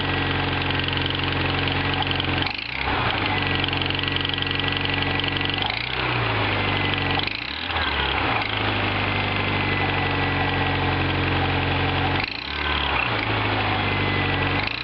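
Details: Toyota MR2 Turbo idling with a fast, light ticking over the steady hum; mechanic suspects a warped exhaust manifold leak, not confirmed.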